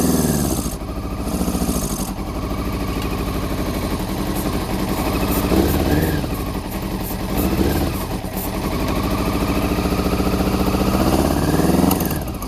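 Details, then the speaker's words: Honda CBR400RR NC23 inline-four, fuel poured in by hand with starting spray, fuel pump not connected: rough, lumpy uneven beat and weak revs; only cylinders one and two firing, three and four stone cold; water leak noted. "right believe it or not that was only firing on cylinders one and two"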